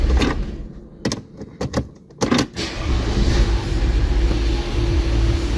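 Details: Audi A6 C6 with a no-ignition, no-start fault, after repair of the steering lock module (ELV, J518): a few sharp clicks and clunks, then the engine cranks, catches and settles into a steady, even idle without misses.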